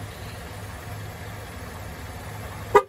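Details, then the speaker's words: 2012-or-newer GM Chevy (Impala) TPMS relearn with reset tool held at the tire sensor: quiet idle, then one short horn chirp confirming the sensor was learned before moving to the next wheel; two beeps signal all sensors done. "you'll hear the car beep again and then we're going to go do the other side which is the left rear and after this one you'll hear two beeps and that's when you know you're done and the car has learned all the sensors"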